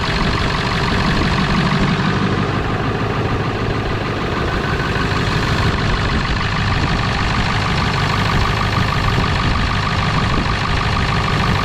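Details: 1997 Ford F250 4x4 with 7.3L Powerstroke diesel, revived after not running: deep low diesel rumble at a fairly even idle with no knocking; runs normally despite a big fuel leak, probably at the petcock valve.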